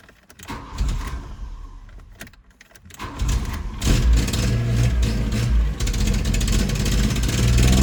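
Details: 1986 VW Jetta: starter churns unevenly for nearly four seconds before the engine finally catches and revs up. Hard starting, long cranking.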